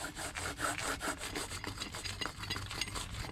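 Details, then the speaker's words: Wheel bearing just removed from a 2003 Ram 1500, spun by hand: rough, gritty, uneven grinding. The truck had been grinding underneath while driven. Replaced with a new smooth bearing. Worn wheel bearing grinding. "So this is the one I just took off the truck. Listen to how terrible this bearing sounds."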